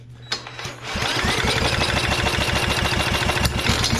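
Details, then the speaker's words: Inherited vintage lawn mower being revived: a few sharp pulls, then quick uneven chuffing about three times a second as it spits and sputters but won't run. "good she was trying I heard you spit sputter"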